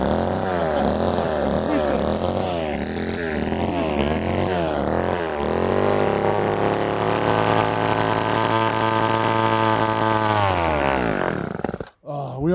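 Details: Old Ohlsson & Rice chainsaw, sat 20+ years, after blowing out a plugged fuel tank air vent restored fuel: rises from a ragged burble to a steady high screaming rev and holds it cleanly before cutting off; running properly.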